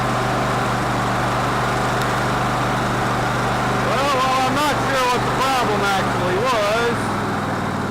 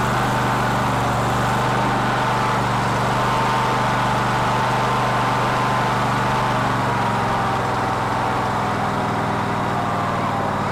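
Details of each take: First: Cub Cadet LT1046 lawn tractor engine that ran rough, after carburetor reassembly (old gas blamed): steady, even low drone at idle with no misses or surging; running better now. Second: Cub Cadet LT1046 lawn tractor that runs rough: engine keeps running but beat wavers unevenly instead of crisp; black suggests fuel-related, carburetor appears to be flooding.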